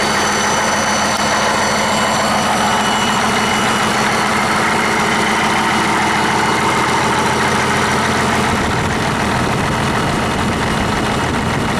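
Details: 1959 Caterpillar D337F diesel genset, stored in a barn 10 to 12 years, just started and resting at idle (needs the shutdown lever to stop). Heavy, steady, even clatter with no knock or stumble: normal idle.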